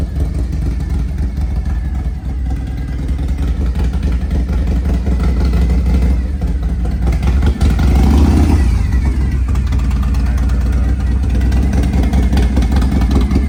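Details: 1993 Harley-Davidson FXR with S&S 82ci V-twin, two-into-one exhaust, restarted warm: steady loping idle with one quick rev blip midway, even and healthy.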